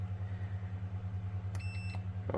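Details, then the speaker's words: HP ProBook 450 G4 (board DA0X83MB6H0 rev H), charging but no power due to faulty power switch: replaced switch tested with multimeter gives one clean steady beep of about a third of a second over faint hum, showing continuity, switch works. "Sound එක යනවානේ. ඒ කියන්නේ switch එක working තත්ත්වයක තියෙනවා."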